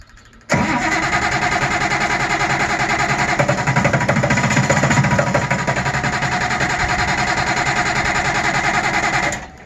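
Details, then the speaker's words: Auction-bought 190 XT tractor on a temporary fuel pump, cranking with ether: uneven brief firing that tries to catch and stumbles. A fuel leak has appeared; it is likely only burning residual ether. "See, it almost acts like it runs on its own, but that's probably just the residual ether, huh?"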